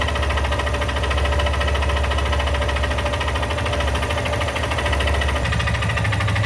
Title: Xtz lander 250 20/21 com 34 mil km fazendo um barulho no motor